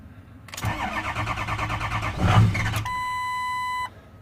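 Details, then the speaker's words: 6.0 Powerstroke diesel: about two seconds of steady cranking, a brief pop as it tries to catch, then it shuts right off; no-start, cause unknown. "it'll crank up and just as it goes to start it'll pop a little bit and it will shut right off"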